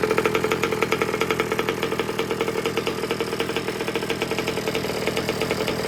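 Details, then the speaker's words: New two-stroke engine fitted to an old Baja, broken in with heat cycles, idle wound up slightly: a crisp, even burble held a little fast, steady pulses with no stumbling; the engine is running healthy. "So we're going to run with this. Sounds really nice and crisp. I've actually got the idle just wound a tiny bit up while I give it another heat cycle through here."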